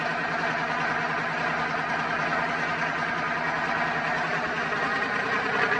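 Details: Twin-turbo Dodge truck, started on a freshly charged battery after all vacuum lines were replaced to fix a driver-side leak from turbo to wastegate, not yet tuned: a steady, even idle with a smooth drone and no ticks, knocks or hiss. Sounds healthy.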